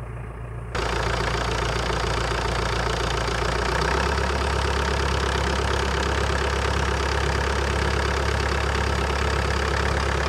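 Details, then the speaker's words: Old CAT excavator diesel, unrun for years, after flushing water-contaminated fuel, now started with the key: short crank, then catches and settles into a steady, even low idle with no stumble or knock; normal idle. "[Applause] sounds good sounds very good"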